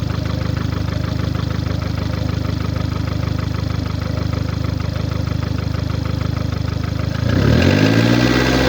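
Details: 2009 VW Golf MK6 1.4 petrol (CAXA, 90 kW/122 PS), 272,900 km: low, uneven chuffing pulse at idle, then revs rising near the end; caused by a defective head gasket.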